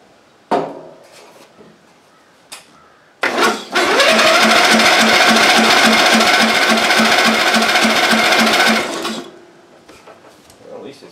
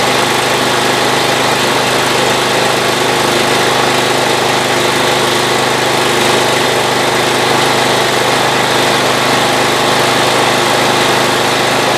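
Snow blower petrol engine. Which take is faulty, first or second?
first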